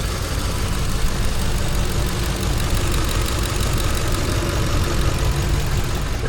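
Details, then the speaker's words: Ford 5.4 engine returning after customer-supplied parts, with coils, injectors and cam sensors checked as connected: heavy, lumpy idle with an uneven low thump and visible shaking; a misfire at idle. "Definitely a misfire. You see that thing shaking? Shaky shaky shaky."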